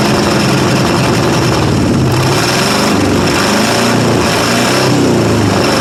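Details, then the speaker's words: 1995 Ford F-150 5.8 L 351 V8 cold start: loud open exhaust stumbling with an irregular, lopsided beat under throttle, loading up on gas and firing on maybe six cylinders; head gasket or cracked head suspected since it blows steam. "oh she does run quite poorly [Music] but loading up on gas bad and not firing on any well probably six of cylinders maybe if you're lucky"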